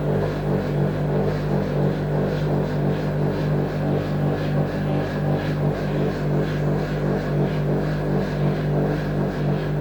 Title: The sound of broken bearings on samsung washing machine #lg #samsung #homeappliances #bosch #von.